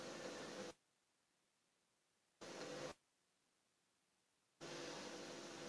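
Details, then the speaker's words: Refrigerator that was clogged and not cooling despite freon, capillary/filter cut and recharged (about 5 units); soft even hiss of refrigerant through evaporator, no gurgle or sputter; evaporator cold, circulation normal. "Ini karena ada dingin. Berarti freon ini berjalan ini."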